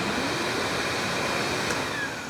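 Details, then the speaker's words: Electric Cleaner Company K-9 pet force dryer, rear motor run during initial diagnostics: steady, airy blower rush, then wind-down with only a slight growl from the carbon brushes. Normal motor run and wind-down. "And we're going to listen to it as it winds down. And we can hear just a little growliness out of that, but nothing terrible. Fairly normal carbon brush noise as it slows down."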